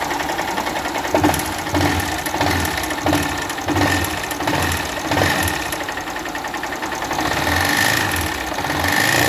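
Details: 2018 Honda CG 160 Start single-cylinder motorcycle recorded before disassembly: loud metallic knock and clatter at idle from engine oil starvation, probably because the oil was not changed on time or the level was not checked.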